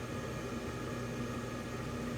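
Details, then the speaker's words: Blower runs with a constant, even electric buzz over a steady fan drone, present ever since the owner got it; the cause is unclear. "I notice that this makes like a buzzing sound and I actually noticed this sound ever since I got it"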